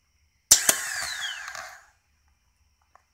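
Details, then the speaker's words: 2001 Triumph Bonneville, battery good with charger attached, after a loud noise while cranking: two sharp metallic clicks from the starter solenoid, then nothing; starter clicks, no crank, cause unknown. "starter seems to be making noise this thing's solenoid seems to be clicking"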